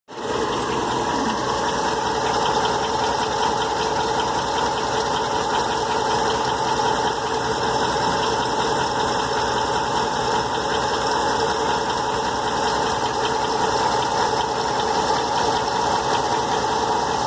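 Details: 2008 Ram 1500 idling with a loose, uneven engine knock, about two to three beats per second.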